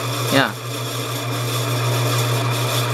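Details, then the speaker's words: Encon Emperor ceiling fan bought at auction, running after repair (earlier it sounded out of balance), also tested in reverse. Steady low motor hum with an even tone and no scraping, ticking or wobble; runs normally. "Yep, it reverses. Very cool. Alright, we got this fan working again."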